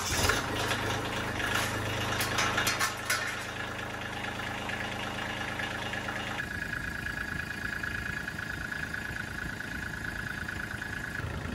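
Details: Tractor after replacing two mouse-chewed fuel return lines, started to pressure-check for leaks: engine catches and settles into a steady, even low drone with no stumbling; normal running, no leaks, rubber debris seen in fuel filter bowl.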